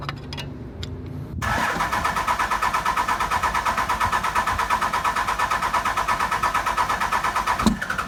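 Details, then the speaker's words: 24-valve non-53-block Cummins diesel, first start-up after fixing a cranked-over rocker arm and fitting bigger injectors, lines 1, 3, 4 bled: short crank, catches, settles into steady, even idle clatter without misfire or ticking; started perfectly. "I'm going to attempt to talk over this lighthouse Cummings but basically she started up perfect probably took like two three minutes you guys saw"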